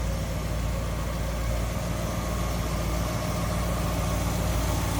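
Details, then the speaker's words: 1956 DeSoto Firedome, restored 330 cubic inch Hemi V8, heard with the hood open at the engine bay: a deep, even idle with a steady low beat and no knocks, ticks or misses; smooth, healthy idle. "listen to how smooth that runs"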